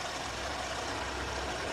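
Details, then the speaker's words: 2003 Oldsmobile Alero 2.2L Ecotec idling with new ignition coil and new aftermarket controller, which wouldn't run with the old controller; cylinder 1 misfire cured: steady hum, even beat, no stumbles or misses. "so the new ignition coil does not work with the old controller but it works with the new controller"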